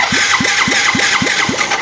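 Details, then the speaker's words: Yamaha Mio J fuel-injected scooter with no ignition while the fuel pump hums; owner's new coil didn't help. Cranking on the starter, key on, 12V at the coil: even rhythm, about four pulls a second, no firing. No ECU ground signal at the coil. "Sinyal massa di koil ini enggak ada ya. Berarti dari ECU ke koil ini enggak connect atau mungkin ada yang putus di tengah."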